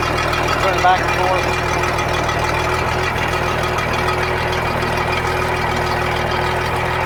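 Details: Sea Ray sterndrive after repair of seized gimbal bearing that had welded to the drive shaft and was cut off: steady even idle, smooth low rumble, no knocking or grinding; normal idle.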